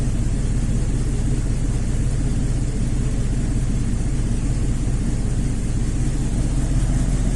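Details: 2001 GMC 5.3 V8 at idle with drive belt removed: loud roar with a fast, uneven chuff and squeal; exhaust escaping between manifold and cylinder head past broken bolts, plus a plugged left-bank cat and misfire.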